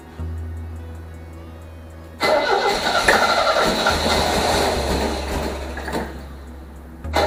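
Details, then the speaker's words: 1978 MGB convertible on start-up: cranking drone, then catches unevenly, popping and spitting, no clean idle; fuel smells good, owner suspects swapped plug wires three and four or wrong firing order, checking distributor firing order. "i had it cranked up and it was just popping and spitting"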